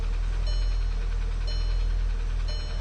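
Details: 2012 VW Passat CC 2.0 TSI (EA888 gen 1, CCT), 189,000 km, cold engine, fresh oil at the top mark: idle with a dull low knock about once a second, slightly irregular, unchanged after the oil fill; piston knock.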